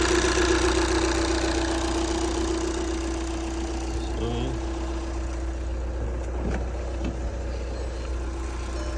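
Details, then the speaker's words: 2014 2.0 TDI turbo diesel after misfire repair (had shaken heavily with glow plug light stuck on), codes cleared; smooth steady idle, even clatter, no stumble or missed beats: normal idle. "The car have misfire, shake a lot. So now, nothing. Car so normal."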